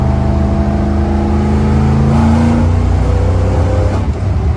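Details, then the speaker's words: 1974 Corvette V8 before carburetor retune, full throttle in third gear: pulls hard to about 75% throttle, then the rising note flattens and stumbles; carburetor bog at wide-open throttle, flooding suspected; fuel pump, filter or timing not ruled out. "You guys saw that thing was a rocket ship for a second and then dead. Well, hopefully you guys were able to see that. Rolling into it up until like 75% throttle, this thing is getting some. But once you get past that, she's done."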